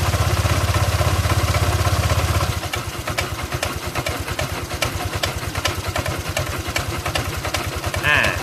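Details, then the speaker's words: Honda Click 125i scooter at idle: a quick, even tapping about three times a second above the putter, a top-end tap; the oil level is to be checked next, cause not confirmed. "กูก็มาลองติดเครื่องฟังเสียงดูนะครับอ้ะมันก็จะมีเสียงเพื่อนั้นก็ก๊อกๆนะฮะ"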